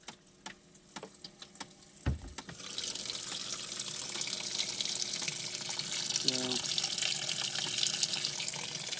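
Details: Washing machine newly installed in a skoolie bus: a click, then a steady rushing hiss of water pouring in that holds even; filling normally at cycle start.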